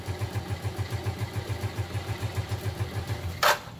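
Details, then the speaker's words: Motorcycle kick-started after several kicks while testing a new Daytona Ignimax spark plug: uneven lumpy thudding at slow wavering idle, then a sharp clatter as it quits; rough idle and stalling, cause not confirmed. "Ayun, patay ulit."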